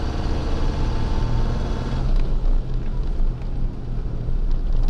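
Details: Right front hub of a Nissan Pathfinder heard through a microphone on the hub while driving in frost: deep, steady rumbling hum ("jur jur") that drones as the wheel turns, no clicks or knocks. Several shops had blamed gearbox, differential or driveshaft.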